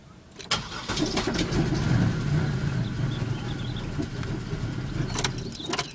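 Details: 2000 Pontiac Bonneville SE: starter churns engine over in uneven chugging rhythm for several seconds but it never catches; cranks, no start.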